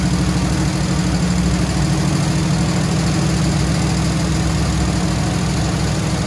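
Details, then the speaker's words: Chevrolet C20 Squarebody V8 with little-run flat-tappet lifters, two found completely collapsed, some metal in the oil: steady low idle with loose, uneven ticking about two or three a second, also heard in the exhaust; collapsed hydraulic lifters not pumping up, replacement planned. "i can sort of hear a few of them trying to come around here trying i can hear it in the exhaust but they're just trying like hell but i don't know i think there's no return on these lifters"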